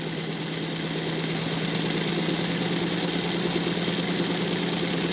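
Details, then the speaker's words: Extended K5 model train tender on an NGS Northern clone chassis with all eight wheels running on 3D-printed accurate axles, at about 70–80% throttle: even, steady hum, no gear noise, knocks or binding; smooth running. "Boy, is this smooth though. You just Man, this is this is smoother than any of the others uh that I put the ball bearings on the other chassis."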